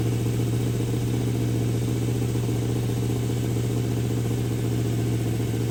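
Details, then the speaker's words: V8 held at about 1,700 rpm, simulated highway cruise, with vacuum advance hooked up raising total timing to 47°: steady deep drone, no misses or knocks; running smoothly. "That's about cruising speed going down the highway around 1,700 RPM with my vacuum advance hooked up adds to the total timing."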